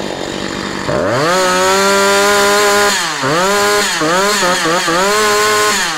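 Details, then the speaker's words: Husqvarna 345 chainsaw after reassembly, with diaphragms replaced and light carburetor adjustment: revs up crisply, but on blips the revs sag slowly instead of snapping back to idle. A slight hang on deceleration, suspected from getting too much fuel. "bo słyszeliście, że ona przy zejściu z obrotów troszeczkę to obroty jeszcze utrzymuje. Także gdzieś to paliwa, gdzieś tego paliwa więcej dostaje."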